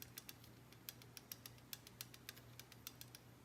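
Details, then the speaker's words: Ilmor Dart 440 LS engine on assembly, checking pushrod length with an LS rocker tightened by hand: light, uneven metallic taps from valve lash, which disappear once zero lash is reached. "tapping went away tapping tapping is gone that is zero lash there's no preload on the lifter there's no lash in the whole system zero"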